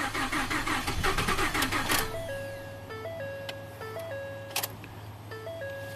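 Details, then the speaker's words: Ford F150 EcoBoost with 220k miles, crank no-start with only a low fuel pressure code. About two seconds of fast, steady starter cranking with no fire, with rail pressure built to about 1500 PSI; the high-pressure pump is not blamed yet. "That's the current pressure in the fuel rail, and this thing still is not starting. So I'm not ready to call the high pressure pump."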